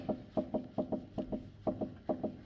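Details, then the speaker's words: Peugeot 206 during suspension check: sharp hollow knocks in quick pairs as the suspension is rocked; left anti-roll bar link worn, and the other link also needs replacing. "Słychać, nie? jeden łącznik lewy stabilizatora i drugi tak samo do wymiany."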